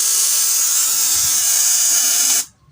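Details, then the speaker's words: LG CRT television, on plugging into 220 V mains, gives a harsh high-pitched hiss and crackle that stops when unplugged; flyback transformer arcing, with vertical section also suspected faulty. "bahaya ini sih udah jelas ketahuan yang rusak playbacknya teman-teman jadi langsung saya cabut tadi dari arus listrik 220 Volt"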